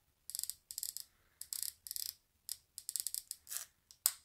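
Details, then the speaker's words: Corsair K95 RGB Platinum keyboard volume wheel, held close to the mic and scrolled upward: bursts of rapid fine clicking from a loose white plastic film behind the wheel that seems improperly glued. "now the reason is like I say there's a like a white film I can see right in the back end of this here it seems like a like a piece of plastic and it's almost like it's not glued dying like it should be"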